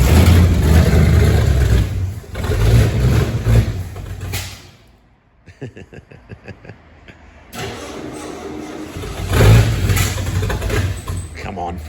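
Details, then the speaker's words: 1969 Ford XL GT convertible, 429 big-block V8, 4-speed, first start, throttle worked by hand: cranks, catches and revs in uneven surges, stumbling and not firing on all eight; ignition timing not yet set correctly. "That's what the problem is. No, timing's not done properly. It'll be It'll be very close, but not quite right."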